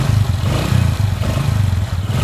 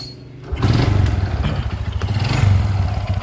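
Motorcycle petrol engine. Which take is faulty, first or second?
second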